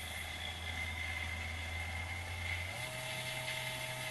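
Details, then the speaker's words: 220V 72W micro variable-speed electric drill/rotary tool with planetary gearbox, running unloaded in forward at several speeds: steady high gear whine over soft motor hum, pitch stepping with speed; normal gear noise. "that's got a planetary gearbox you can actually hear the gears rotating so it's not a straight drive like a dremel"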